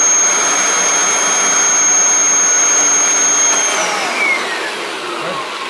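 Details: Kirby G6 vacuum, unserviced for years, after servicing and reassembly: clean, steady high-pitched motor whine that winds down smoothly after switch-off, no rattles or grinding; runs normally.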